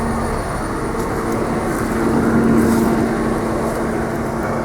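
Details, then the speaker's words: 1995 Nissan D21 pickup after replacing the original 25-year-old ignition starter switch that caused intermittent no-start with an electrical buzz: smooth steady idle, constant pitch, no buzzing or stumbling; normal. "okay well there you go guys there was the issue I think that has fixed it"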